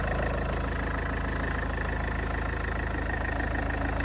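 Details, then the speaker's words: Salvage Range Rover after a front-end rebuild, first start: it starts a little loud, then settles to a smooth, even low idle with a steady soft beat and no knocks or ticks; a gearbox error message appeared briefly. "wow it's actually really quiet might be a little sound a little louder on here but yeah wow that's sounds really good"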